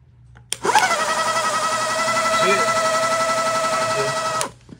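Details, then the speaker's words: Golf cart shunt motor bench-tested on two batteries, power touched for 3–4 seconds. An even whine spins up and holds with a light rub underneath, then cuts off; the motor spins fine. "but that's how you test it man simple as that if the motor spins it ought to spin on the car"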